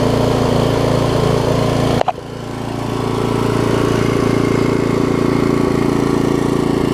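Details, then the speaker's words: Craftsman rear-tine tiller with 5 hp Briggs engine, stored for years, after cleaning, a new carb diaphragm and a slight screw adjustment: small single runs at a steady, even beat of about 214 pulses a minute with no hunting or misfire; normal running. "I just adjusted the screw out there a little bit listen to that thing run now things are amazing"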